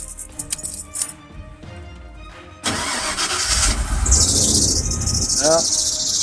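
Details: Ford that would not start, owner suspected the fuel pump: after replacing the high-pressure fuel pump and fuel filter, quiet clicks, then it cranks once and catches straight into a steady run; clean start.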